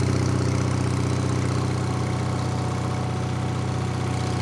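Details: Onan twin on a Davis/Case trencher after a small adjustment: steady idle with regular low knock about four per second over the engine note; cause not found.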